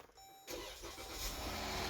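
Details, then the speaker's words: Push-button-start petrol car after a ticking-engine repair: the engine catches quickly and settles into a quiet, even idle with no ticking. "we go talk about freaking quiet now"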